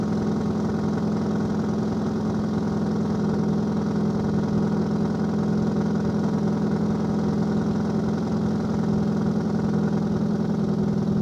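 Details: 2002 Subaru Legacy GT 2.5 flat-four at start-up and rev, idling with a loose, uneven burble and a faint puffing edge from an exhaust leak.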